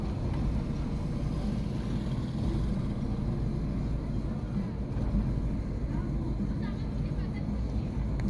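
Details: Chevy Aveo small petrol engine idling rough: low, uneven, lumpy beat under the exhaust rumble; cause not stated.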